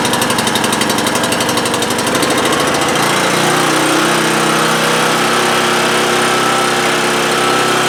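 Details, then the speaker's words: Homelite GC1800A 1800-watt generator from 2008, cold start on choke after opening up the carburetor pilot jet: starts on the first pull with quick chugging, then settles into a steady, even run. Normal cold start. "it starts on our first pull it ran reliably for 10 minutes or so"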